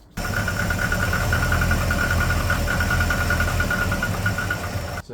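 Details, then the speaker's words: Idling Volvo petrol engine with about 200,000 miles, which had been running quite rich: a hollow, uneven knock of about three to four a second over the running note; owner's unprofessional opinion is piston slap. "from my completely unprofessional opinion that is piston slap if I haven't put a clip in already here's what it sounds like"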